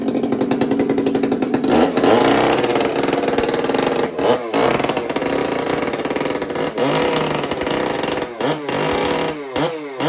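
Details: Two-stroke chainsaw (Kenzie's), just after first start: high buzzing note rising cleanly on throttle and dropping back evenly; runs strong and healthy.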